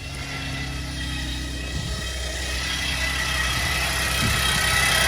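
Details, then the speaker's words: 2010 Chevy Traverse on a cold start, AC off: a steady high whine from the power steering pump area, quieter at idle and louder with acceleration, steering still works fine; owner suspects a clogged reservoir filter and plans to clean it and renew the fluid. "So when the vehicle idles down, it's a lot quieter, but when you drive it, this noise is the same. The more acceleration, the louder the whining."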